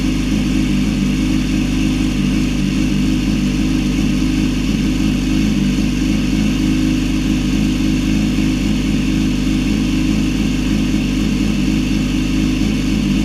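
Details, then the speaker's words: Yamaha R6 (2006–16) after refitting a fallen-off starter idle gear under the left stator cover following a left-side crash: steady, even idle with constant low drone, no clatter or starter whirr; sounds normal. "All right. After all that, your R six should sound like normal whenever you start it."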